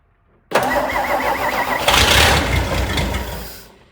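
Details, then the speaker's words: Cold start of a '62 Studebaker V8 not run in a while, in park with the rear wheels off the ground, on a cold day. It cranks, fires and runs rough briefly before dying while the fuel picks up prime. "It's been a while since this old thing started, but I see no reason why it shouldn't fire relatively easily. But it's cold out. It's going to take a minute for it to pick up prime."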